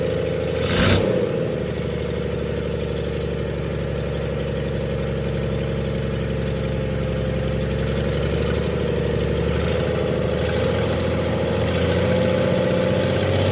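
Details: 1996 Dodge 2500 diesel running with no turbo or exhaust manifold fitted after turbo failure: uneven surging beat over a steady droning whir; rough running, owner suspects injection pump setup and oversized injectors, too much fuel for available air.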